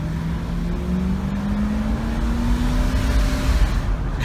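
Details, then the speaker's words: Ford Grand Marquis 4.6 V8 accelerating hard on a test drive after the intake coolant leak that caused a cylinder 4 misfire was sealed with super glue: smooth, even climbing engine note with no stumble or miss. Normal acceleration after the repair. "But yeah, it's not missing at all. It's running perfectly."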